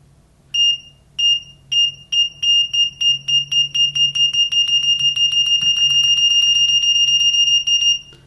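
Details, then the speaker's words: EEVblog BM786 (Brymen) multimeter continuity test using Probe Master probes. The beeper latches and blinks the backlight, with sharp high beeps that turn quickly into a steady tone as the probes touch. Fast, normal continuity beep. "well it's time to test continuity and to be fair to all the meters we're going to use probe Master probes to to test the continuity it latches and it also blinks the uh"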